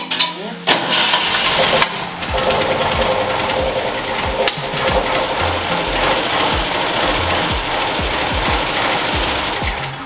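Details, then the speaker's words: 1965 Ford Mustang V8 first started after about 15 years sitting in a field, no gauges: rough, barely running idle with a fast, uneven clatter of sharp ticks; valvetrain noise from bled-down lifters, a couple not pumping back up. "yeah that's all valve train that is 100% all valve train so what we're trying to do is get the lifters to come back but it's not seeming like a couple of them did for sure a couple of them are not happy but it does run"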